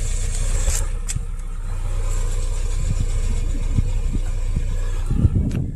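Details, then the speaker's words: 2016 Kia Sorento 2.4 with P0304 cylinder 4 misfire, after sanding the oil-fouled cylinder 4 spark plug: quick crank, clean catch, steady even idle with no stumble; misfire gone, confirming the plug was the cause. "yeah that was it so I know for a fact that it's a spark plug"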